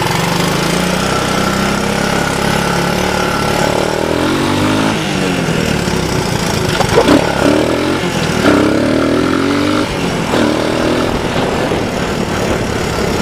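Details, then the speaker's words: Honda ATC185 three-wheeler, about 35 years old, auto clutch, new right-angle air filter, test ride: single-cylinder pitch climbs smoothly through each gear and drops at every shift, no stumble or knock. Normal acceleration through gears, healthy. "so she runs up through the gears pretty good um which is nice shifts really nice"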